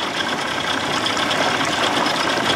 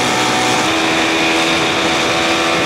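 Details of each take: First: 1979 Evinrude 55 hp outboard in neutral, original carb refitted, reeds and compression checked: a raspy, racing idle far above normal tick-over; high idle surge persists, owner suspects float needle not seating and sucking gas. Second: 1979 Evinrude 55 hp outboard after reed valve inspection and compression test, with the original carb refitted; it had been over-revving at idle, and the owner suspects a stuck ring loosened. Pitch drops off throttle into a steady, smooth idle.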